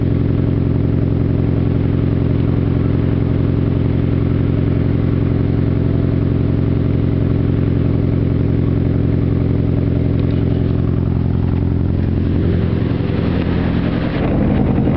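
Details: Nissan SR20DET turbo petrol engine idling with a lumpy, slightly uneven beat rather than a smooth hum; rough idle, possible misfire suspected, not confirmed.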